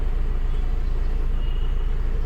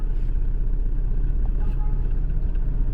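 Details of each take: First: Honda Civic petrol engine after a faulty ignition coil was replaced (misfire, code P0352): a smooth, even low idle hum with the AC on and no shake or stumble. Normal idle with AC on. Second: Honda Civic petrol with pickup drop, stalling at speed breakers, check engine light and codes P0352/P0135: rough, shaking idle with an uneven low thump about four times a second. Misfire from a failed ignition coil.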